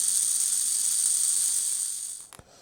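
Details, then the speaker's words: Old Hornby Class A4 Mallard model locomotive, after lubrication and re-bending the gear clip, unloaded bench run: clean, steady high whine with no grinding or rattle, then spins down; motor sounds okay, load on track still to be checked. "That sounds okay. We'll see what it's like under load though, when we get it running on the track."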